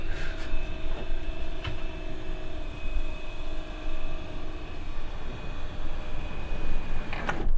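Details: Electric bed lift in a Lowlander Deluxe 4-berth motorhome, 7.3 m, on a Fiat Ducato: a steady, even motor hum holds one pitch for several seconds, then stops with a soft thud; the lift motor sounds normal.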